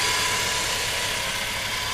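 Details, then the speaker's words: Rover 25 after coolant change and correcting a mis-tensioned cambelt that caused a noise from the cam cover: steady, even idle with a light hiss and no ticking, slapping or flutter; it sounds healthy. "sounds much healthier don't so you can hear the"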